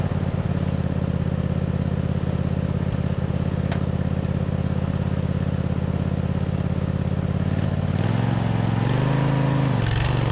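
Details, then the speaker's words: MTD zero-turn mower twin-cylinder engine after repairs, with the belt rerouted and the charging system working: an even, healthy drone at steady speed that rises and settles briefly. No misfires or rattles; normal running. "this twin cylinder sounds good healthy everything is good to go on it"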